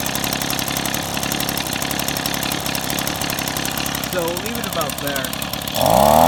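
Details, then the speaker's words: Two-stroke engine during idle screw adjustment, turned left to slow idle then back up slightly to avoid stalling: steady, quick popping idle that holds without hunting or dying. "Okay, now I'm going to turn it to the left. And you can hear it starting to run a lot slower. Now, yeah, you don't want to run it too slow because otherwise it will stall out."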